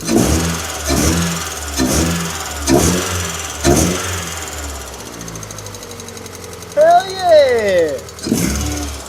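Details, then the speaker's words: Ford Fiesta XR2i four-cylinder, abandoned about 7 years and run after spark plug work, low on coolant: the engine catches and revs freely with a clean rise and fall, no stumble or shake; it now runs smooth. "Oh, listen to that. Purring like a like a Ford. Seriously, that actually sounds really good. Look how smooth that engine is now."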